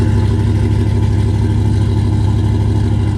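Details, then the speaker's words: GM truck 5.3 V8 with P0300 misfire code: deep idle with lumpy, uneven beat, one cylinder not working, louder than before; exhaust smells terrible. "sounds a little bit more the house it used to sound a little bit Kemp but now you could hear it more because that's because one cylinder is not working so yeah that's a misfire"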